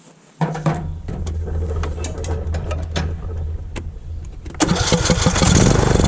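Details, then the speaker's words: Riding lawnmower with a no-start, starter fluid sprayed into the intake with the air filter out: it cranks a few seconds, then catches and runs rough only on the spray. This shows a fuel issue, traced to a failed carburettor fuel shut-off solenoid. "Okay, it fired up with starter fluid, so we know it's a fuel issue."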